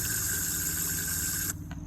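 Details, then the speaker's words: Hemi injector (for a 6.1 engine) on a bench fuel-pump rig after sitting 10 years with old gummy gas; it was stuck until tapped with a screwdriver. Steady hiss of spray for about 1.5 s, then a clean cut-off; the injector now squirts and flushes normally. "and now when i press the button it's squirting so i'm gonna let it flush out a little bit"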